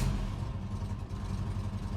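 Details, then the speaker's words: Barn-find Austin Maestro carburettor engine, running off its own newly refitted fuel tank for the first time in a long time, choke pushed in. It ticks over low and lumpy with an uneven beat; the idle is probably too low and the carb needs tuning. "But it's running a little bit rough and the idle's probably a little bit too low. But yeah, we're going, that's good."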